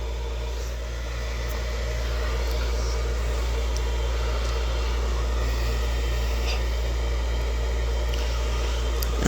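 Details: York 90% gas furnace (about 80,000 BTU) with filter removed: loud, steady low hum with rough fluttering rumble as the blower motor runs, from a broken, loose blower wheel.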